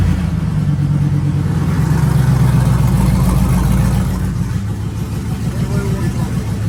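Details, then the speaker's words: Twin-turbo Silverado V8 with new headers, exhaust and 1000cc injectors, first startup after build: deep steady burble, slight rev settle, no knocks or ticks; healthy running. "holy that sounds so good and it's not even that crazy like all also you just heard that first startup"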